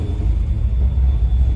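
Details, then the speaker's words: Friend's 331 stroker V8 with Holley Terminator X EFI at idle: deep, lumpy idle rising and dipping unevenly every fraction of a second; it bounces on idle because the air-fuel ratios are all over the place. "It looks like his AFRs and shit are all over the place right now, which is why it's bouncing on the idle."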